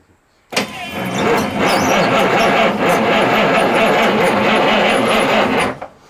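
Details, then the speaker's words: 1989 Marmon diesel truck, in neutral with no fuel, on a replacement starter: cranks slowly and heavily, about 100 labored turns a minute, no firing, getting harder and harder. Suspected binding in the bottom end or valve train; not confirmed. "don't turn over no better than the other starter i mean i was hoping for i was just hoping that that starter was just weak see how she starts getting harder and harder"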